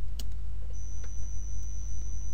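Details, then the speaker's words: Delta AC servo switched on by shorting pins 4 and 7: low, steady electrical hum with faint ticks as the shaft locks and can't be turned by hand; normal servo hum when enabled. "if you want to make it on what I'll do is I'll just turn it on and by turning it on you will you will hear some humming noise coming from the servo right"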